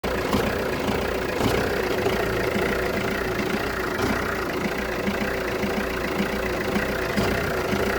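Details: Jeep Renegade 1.6 Multijet diesel, 177,000 km, uneven idle with occasional stumbles: misfire at idle starting 3-4 minutes after start, resolving once warm; no check engine light, no smoke, slightly stronger exhaust smell; owner unsure if sensor or injector.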